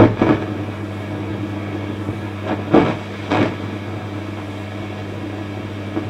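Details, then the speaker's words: Fender Pro Reverb valve amp, possibly a reissue, in for crackling and popping mainly on the vibrato channel: steady hum louder than expected plus low-frequency rumble and a few dull bumps. "we've got this more low frequency rumbling here it's also humming a bit more than i'd expect it to come"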